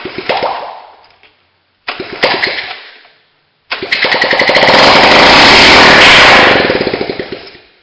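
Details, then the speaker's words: Honda ATC 70 with no exhaust pipes fitted, first start after cleaning with a propane torch: two short sputtering tries, then it catches and runs steadily with a loud crackling open-exhaust beat before shutting down. "If it starts, I won't let it run too long because there's no exhaust pipes on it."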